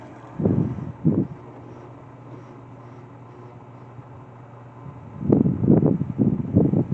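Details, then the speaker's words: Whirlpool WFW9500TW front-load washer, Whites cycle, draining outdoors: low steady pump hum with irregular watery splashing as the drain hose empties onto the patio floor; normal. "And if you guys heard what that watering noise was, it's because since this machine is sitting outside and the drain hose is on the patio, as the water drains out, the water lands on the patio floor, and that's why it makes that noise."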